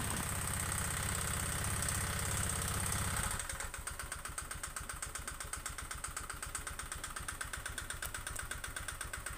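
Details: Honda Vario 125 fuel-injected scooter (K59), never serviced and oil never checked, idling with a rough, hollow clatter about four times a second from the cylinder, with white exhaust smoke; owner also reports misfiring, poor idle and fast coolant loss; suspected piston slap.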